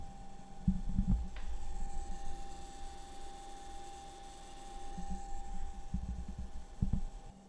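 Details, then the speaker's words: DIY 2DOF motion sim servo gear motor driven by STM32 at 30 kHz PWM, about half speed, after fixing the beep: quiet, steady motor hum with light gear whir and soft bumps, no shrill tone; running normally. "it runs at 30 khz and there is no noise apart from the actual sound of gears and the motor itself but there's no beep anymore so I'm really happy"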